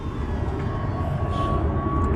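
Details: 1998 VW Beetle after timing belt replacement set at TDC: engine starts and settles into a smooth steady idle with a faint constant whine, no slapping or ticking; timing sounds right.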